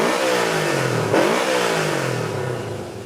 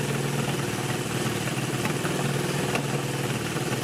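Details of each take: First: Honda CB360 twin after a full tune-up and carb adjustment (idle mixture turned out half a turn past smooth): it settles into an even idle, then a crisp blip rises and falls cleanly without stumbling. Normal idle and throttle response. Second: Honda CB360 twin, first running on both cylinders after sitting for years, before tune-up: rough idle with an occasional sharp pop every second or so from the right-side exhaust, cause not yet found. Exhaust popping on one cylinder.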